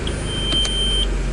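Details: 2004 Audi Allroad with a harsh engagement into reverse: a steady high beep lasts about a second over the running engine as the shifter moves, while the gear display fails to show the selected range; the transmission control module (TCM) is bad.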